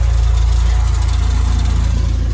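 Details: Car engine idling warm with a deep, rapid, even chuffing pulse from a holed exhaust; the car also tends not to restart once hot and switched off.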